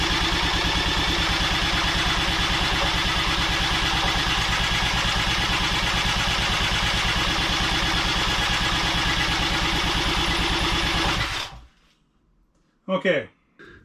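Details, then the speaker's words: 1985 Honda ATC200X, in a will-it-run test before an engine swap: a single cylinder thumps at about three beats a second for eleven seconds, then dies. The spark plug shows it flooded out; once aired out it later ran smoky. "see how the plug looks yeah she flooded out all right let's let her air out a little bit and try it again"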